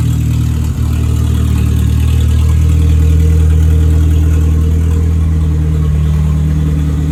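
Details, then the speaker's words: 1959 Mercedes body on an '87 Thunderbird Turbo Coupe chassis, after fixing the earlier misfire and backfire on revs. Deep, steady four-cylinder idle that rises cleanly when revved and settles back, no popping or misses. Normal idle and rev. "So the thing fires up perfectly, idles very well, purrs like a kitten, and it doesn't backfire or misfire like it was when you rev it up."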